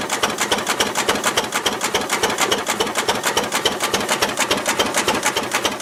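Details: Ruston Hornsby PR, about 1926, horizontal single-cylinder petrol-paraffin engine, running on petrol after leaning a too-rich mixture, apparently first start in 5 or 6 years: crisp, even ticking near 105 a minute, no misses or knocks; normal idle.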